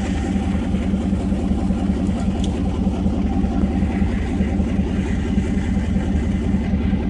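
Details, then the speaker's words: 1991 Mazda B2200, 6.0 LQ4 twin-turbo V8 swap, stock 2002 GM computer now with an actual fuel file instead of a high base fuel quantity: steady, even V8 burble with no hunting while warming up; normal idle, much better. "a bit more civilized this time around with actual file for it to read for how much fuel to inject instead of just a base number of a ridiculously high quantity much better"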